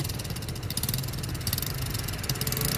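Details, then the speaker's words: Brand-new Jincheng 110cc two-stage-clutch (côn hai nồi) motorcycle engine on a test run, exhaust blocked: quick, even putter, no rattles or tapping, a smooth, healthy small single at idle. "Bây giờ em bịt bô lại này. Đấy, máy nổ thì thầm luôn nhá."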